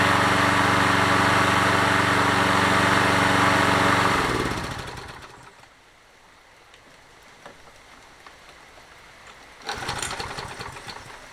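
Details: Toro 20789 mower, worn Briggs & Stratton Intek engine, after setting valve clearance: runs steady, shuts down, restarts after a brief stumble and catches; restarts more easily than before, normal running.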